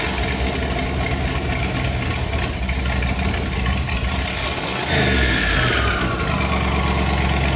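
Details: Budget turbo LS V8 Escalade, first start after hot-side install: lumpy V8 idle, a short rev, then a high thin whistle sliding down in pitch as it settles; turbo whistle, source not yet found, some smoke noted.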